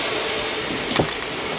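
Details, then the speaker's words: HP ENVY 15-ep0008na 2020 laptop, first power-on while setting up: steady airy whoosh with a couple of sharp clicks, the cooling fan spinning loud. "the fan is a bit loud but it's okay i hope it doesn't stay like that"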